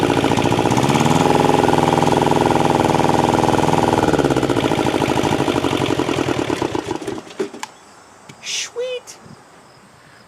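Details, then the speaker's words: Thermo King TriPac APU's Yanmar 570cc liquid-cooled inline-two diesel, unknown time since last run, no coolant in, fires at once and chugs evenly with no knocks or misses for several seconds before shutdown; pretty good health. "I'd have to say this engine is in pretty good health"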